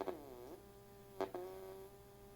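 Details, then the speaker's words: 1993 Sony WM-FX39 Walkman under repair; steady mid-pitched hum under playback bends in pitch when the motor is dragged and stops with it, suggesting motor noise leaking into the audio; cause suspected, not confirmed. "so you can hear their sound and it's definitely affected by the motor because if you put drag on the motor"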